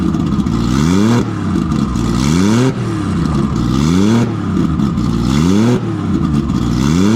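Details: Nissan RB20 inline-six after fixing no compression in cylinder 5 caused by a faulty lifter holding the intake valve low; loud open pipe revved repeatedly every second or so, climbing and dropping smoothly with no misfire; all six firing.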